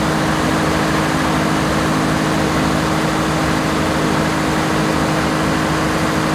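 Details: 1106 diesel generator at 100% load after the injection pump droop adjustment that cured hunting and unstable frequency. A constant, even hum with steady pitch and no rise and fall; it runs stable with no hunting.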